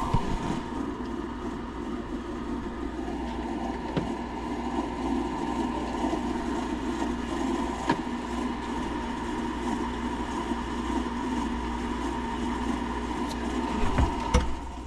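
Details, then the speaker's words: Closet condensate pump running nonstop all week: a loud, steady droning hum and whine that never cycles off. Its low-voltage safety wiring wasn't hooked up; the plan is to run thermostat wire to it. "so it was just not stopping that noise was just constantly going and it'll be like a a funny sound and then it'll calm down to that and then go back to that loud sound again"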